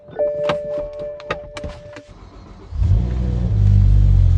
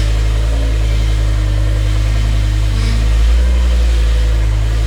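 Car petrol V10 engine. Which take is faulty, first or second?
second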